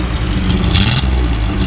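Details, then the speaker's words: Datsun 280Z off the road 18 years, after new injectors and O-rings, warming up: deep, even exhaust note revving cleanly with no stumble, misfire or smoke; running smoothly. "Oh, it's so much happier to rev. I know, it's running good now. Listen."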